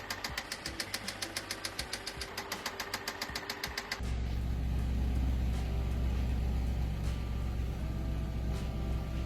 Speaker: Customer came in for an oil change with their engine knocking like this, stating they have been a bit slack on their oil changes lately.